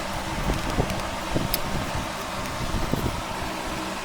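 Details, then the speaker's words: 1964 Mercury Park Lane Breezeway power seat, power lead reconnected after test-light check: motor whirrs with a few clicks but the seat apparently doesn't move, needs repair; motor runs but seat does not move. "so here's the Moment of Truth woo it makes a noise whether that does anything or something entirely"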